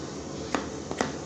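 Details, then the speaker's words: Rear shock absorber removed from a Volkswagen Passat B6, shaken by hand: two or three sharp, dull clunks, a hollow knock from inside the body; water frozen inside the shock. "да будет стучать там вода замерзла вот такое вот чудо"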